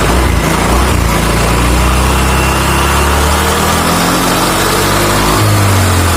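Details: Motorcycle CVT after reassembly, following damaged rollers that made loud harsh noise and wouldn't move; revved, now a loud steady engine drone with even tone, no rattle or grinding from the belt drive — normal, healthy CVT running.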